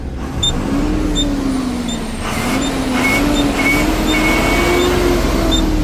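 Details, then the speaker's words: Nepal truck diesel after replacing leaking turbo U-pipe/bend elbow that caused awful noise: even running with mild hum rising and falling with speed, no puffing or chuffing; sounds healthy after repair. "बल्ल गाडीको आवाज चाहिँ मिठो आयो है त"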